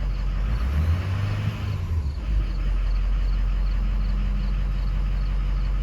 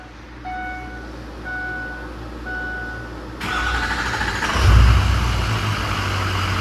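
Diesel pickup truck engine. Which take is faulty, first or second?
first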